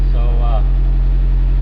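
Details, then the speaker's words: 1986 Suzuki Samurai with 1.6 VW turbo diesel, running after a larger new battery replaced the seven-year-old one, charging almost 14 volts: steady low drone at even speed, no knocks or surging; normal running. "yeah it just needed that new battery that other battery like i said was seven years old"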